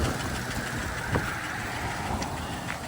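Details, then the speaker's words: Saablazer SS truck revived after sitting a year, flat tires and dead battery: steady idle with light regular clacking following engine speed over dull exhaust rumble; cause not identified, engine to be pulled and a six leaker built for it. "all right clacky clack don't talk back got it out clickity clack I don't know the rest of that"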